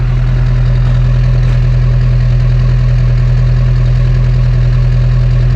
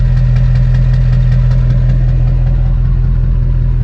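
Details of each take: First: LB7 Duramax diesel pickup, warm after about four miles uphill at 70°F, running slightly hot, exhaust listened to: steady, even idle with deep regular exhaust pulse, no misses or stumbles; running healthy, injector four not hung up. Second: LB7 Duramax diesel, warm after a four-mile climb at about 70 degrees, turbo recently changed, coolant a little low: heavy low rumble with slightly uneven beat about three pulses a second; owner suspects an injector hanging up, no excessive exhaust smoke.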